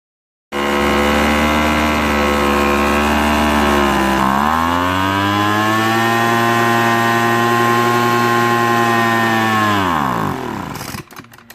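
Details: Craftsman 25cc gas leaf blower (200 mph, 430 CFM) retried after refitting fuel line to filter; two-stroke climbs in pitch, then sags and dies instead of holding revs, still bogging; dirty carb, deteriorated lines, worn filter found; new carb needed.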